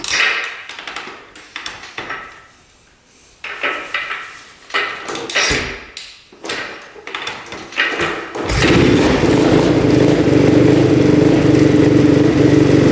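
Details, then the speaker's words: Modded Honda TRX450R quad: after handling clatter the engine fires and a light, regular tick rides over the idle from the top end; suspected valves or cam, unconfirmed. "but you can hear the ticking in the top end so we're gonna do is just investigate that and just see if we can figure out why it's doing that it's probably either valves or the cam c"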